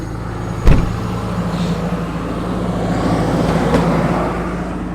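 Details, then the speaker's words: Jeep TJ on high idle, engine cold: steady low idle rumble with a loud fan roar from a converted manual clutch fan; no knocks or misses, healthy engine. "There we go. Oh yeah. Listen to that baby purr."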